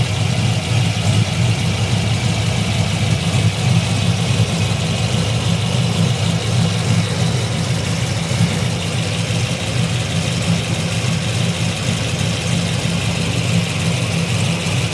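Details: LS3 V8 with JRE 445 street cam, ARH long tubes and high-flow cats, recorded from underneath near the cats at idle: deep, lumpy exhaust with a light, fast tick; owner suspects lifter tick but thinks it is probably normal.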